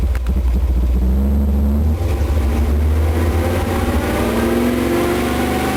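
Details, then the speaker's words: Chevy 454 big block after redneck angle-grinder valve reliefs cut into pistons for piston-to-valve clearance with a higher-lift cam, four-speed; idle about 700 rpm, temperature about 60, oil 40 psi: deep V8 rumble revs smoothly, no knock or misfire, running normally again. "it's running again got really really really sounds good"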